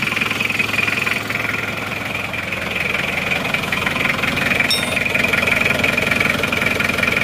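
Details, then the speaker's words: Mitsubishi Panther diesel, cold start in the morning before warm-up, after a coolant leak repair and with a thermostat fitted; glow plugs heated until the lamp goes out, then it starts at once and idles steadily with even clatter, no misfiring; normal cold idle. "kondisi start pagi kontak panasi sebentar sampai kontrolnya mati starter langsung hidup ya"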